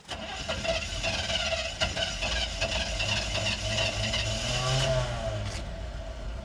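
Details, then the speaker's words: 1975 Chevrolet C20 small-block V8 with new, untuned Quadrajet carburetor, first run in nine years: idles unevenly, sags and stumbles with irregular lumps and pops, bogs and dies; owner wonders if carburetor dislikes the air cleaner, cause unconfirmed. "seems like she's got a bog your mirror is pretty busted the windshield mirror fell off the engine died I just had to brag about that carburetor didn't I"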